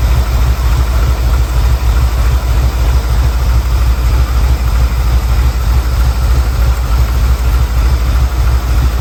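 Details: 1979 Ford Bronco, 351M V8, first start after troubleshooting fuel, spark and carb: deep idle with an uneven, lumpy pulse around three beats a second. Rough idle, needs fine-tuning.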